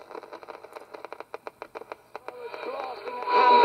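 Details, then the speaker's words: Roberts Rambler vintage transistor radio after repair (previously almost deaf, no long wave reception) on medium wave: sharp crackles, clicks, rising hiss and tuning whistles as dial sweeps stations; normal reception. "so if we put it onto medium wave it turns on wherever they go through the stations as a good um station it must works as it is"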